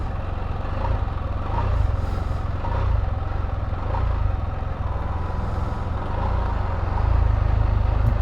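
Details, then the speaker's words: 2022 Can-Am Spyder RT Limited restarted after full warm-up and a short sit, reading 79; deep, fast, uneven thrumming clatter at idle that the owner says goes away once hot, cause unconfirmed. "I did have it fully heated up and then uh it was sitting there for a bit and I just fired it back up a minute ago but it's it's nowhere near hot enough to says it's 79 that's the sound"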